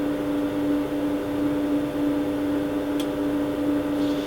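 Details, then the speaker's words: Quantronix Excel Dual Pulse 2000 Holmium/Neodymium laser starting up: steady even single-tone hum from the water cooling pump, with no rattles or surges. The cooling runs normally; the holmium laser is faulty. "So now it's starting up. Water cooling starts to run."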